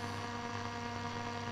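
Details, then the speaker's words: Telefunken Operette 8 tube radio under restoration, RF coils rebuilt after open coils were found, external antenna switch open (antenna connected): steady low hum under even hiss with no station, practically nothing to receive. Normal background noise. "but because we've got practically nothing to receive it's not surprising"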